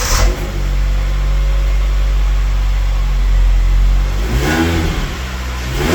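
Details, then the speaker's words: Honda Jazz 1.2 fuel-injected unleaded petrol engine revved from idle: loud, coarse, blowing drone rising with speed; a known exhaust leak, said to guzzle petrol, is to be fixed next. "Now it does have a leak in the exhaust which just guzzles the petrol."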